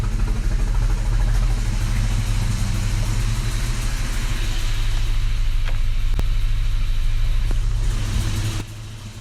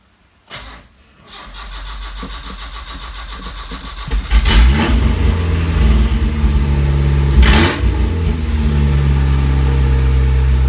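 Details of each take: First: Isuzu Rodeo 4ZE1 before its top-end rebuild, first start after months unused with battery recharged, in neutral: lumpy, uneven idle with sharp pops near the end as it backfires. Backfire from burnt valves. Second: Isuzu Rodeo 4ZE1 after a top-end rebuild, in neutral, no exhaust fitted: cranks, catches and settles into a loud, steady, even idle on all four cylinders. Smoke was put down to spilled oil. Normal start and idle.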